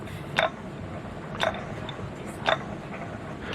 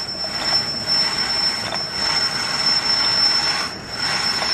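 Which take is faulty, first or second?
first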